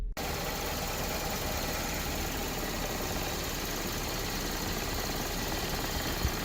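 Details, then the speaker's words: Four-cylinder Toyota Camry, no DTCs, low idle and stalling mainly on cold mornings: cold start settles straight into a low, dull idle with no flare-up in rpm; idle speed too low. "very low rpms we can see there so the rpm are very low very low rpm and we didn't see the flare up"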